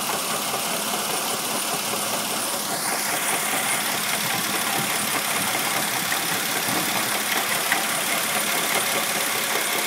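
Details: 1999 Mercedes ML320 idling with a steady hiss and a thin whine on top. The water pump has play in its bearing and was later replaced.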